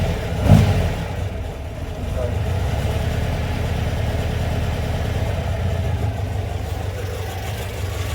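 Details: VW Beetle air-cooled engine rebuilt over about 1.5 years, roughly 200 miles since; idles low when cold, good once warm: brief blip then steady slightly lumpy idle with mild cam rumble; runs healthy.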